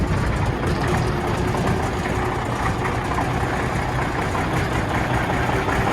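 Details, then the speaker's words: 1991 Autocar heavy-duty tow truck, Cummins diesel, cold start: loud, deep, uneven idle with a lumpy beat, as if not running on all cylinders; starts right up, owner suspects it needs injectors. "It sounds like it's not running on all cylinders, right?"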